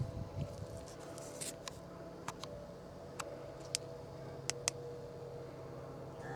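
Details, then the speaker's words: Fuel pump rigged to pump old gas from the port (left) tank of a Marlin performance boat with dead 454 Cobra engine: steady low electric hum with a few handling clicks; pump working normally. "let's see how this goes there she goes right there pretty pretty as it can be"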